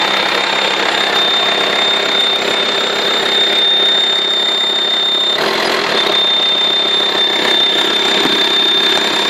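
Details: VW T5 2.5 TDI AXD diesel, 240,000 km, A/C compressor disconnected (belt between the overrunning pulley and power steering removed): a thin high whistle at idle, only when the engine is hot, dropping out briefly. Source unknown; turbo suspected.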